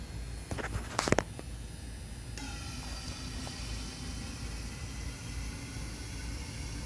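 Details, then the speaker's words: Fuel injector on an outdoor bench test rig at about 45 psi, flow test of the last of 4 injectors, rerun over a suspected air bubble: clicks, then a steady even spray hiss without sputter. It measured 65–66 cc per 10 seconds, matching the others. Normal flow. "It's between 65 and 66. So I think they're all pretty much the same."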